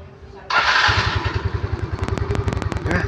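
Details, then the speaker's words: Yamaha Mio Smile that lost power after about 40 km, after adjustment set to 3 turns: starts immediately off the starter, unlike before, settling into a steady, even putter of three or four beats a second; normal start and idle. "Sekarang kita coba starter. Nah, dia langsung nyala ya, tidak kesusahan seperti yang sebelumnya tadi."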